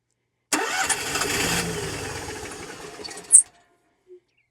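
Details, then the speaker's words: Onan QG 5500 EVAP generator in a 2019 Dutchman Voltage toy hauler, after long priming: catches and runs rough about three seconds then dies, as if running out of fuel; ignition good, owner suspects fuel problem. "but doesn't act like it wants to stay running um kind of giving the indication that it immediately runs out of fuel"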